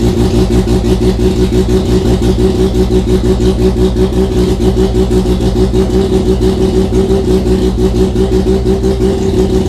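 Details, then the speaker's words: Mazda RX-7 FC3S rotary engine on a Haltech Elite 1500 ECU with the idle air control (BAC) valve at 33 Hz and stall offset 500: it starts and holds idle but revs high, with a steady pulsing throb from the IAC valve. "so you can still hear the idle air control valve pulsing, so I'm going to go ahead and shut off the ECU for now. What we do know is that that immediately allowed us to start up and maintain an idle, but it was revving up."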